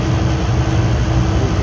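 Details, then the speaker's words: Walk-in cooler after leak repair, still being charged, compressor just turned on, box probably about 45 °F and still pulling down: steady, even low drone from compressor and fan with constant pitch and no knocks; sight glass clear, running normally. "we are running now compressor just turned on uh side glass is clear um yeah everything's looking good"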